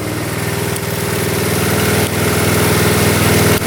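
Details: 1972 Honda CT70 single-cylinder, all-original auction bike being revived after a bogging issue, idling in neutral after rewiring; steady, even putter with quick regular beats, no misfires; smooth normal idle.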